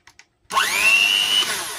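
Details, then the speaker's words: Bolde Super Mix Turbo mixer after motor and gearbox repair and switch cleaning, on 220 V, run through speeds 1 to 5 and turbo: rising whine settling into a steady, even hum, no rattle or burning smell; running normally. "Wah, keren banget, sembuh total, alhamdulillahirabbil alamin. Normal banget dan nggak ada bau-bau gosong."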